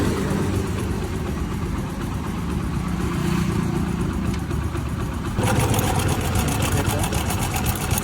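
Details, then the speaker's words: Motorcycle engine run with no oil at all: fast, uneven metallic ticking over the idle that gets busier when revved. The tensioner has gone loose, leaving the timing chain slack and rattling; a further 5–6 km would have seized the engine. "మన timing chain tension అనేది loose అయిపోయి ఈ sound create అయిపోయింది అనమాట."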